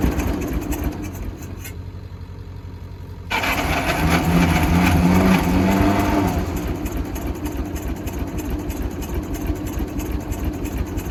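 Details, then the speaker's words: Michigan 35A wheel loader, Continental six-cylinder gas engine, sat for years, fuel tank primed from above: it catches and surges into a lumpy idle that never settles. Stuck valves suspected; on the back three cylinders only one has good compression. "we'll had it running but didn't want to take off and go definitely think it's got a few stuck valves we did a mild compression check on the back three cylinders are the ones we can get the plugs out on and only one seemed to really have good compression"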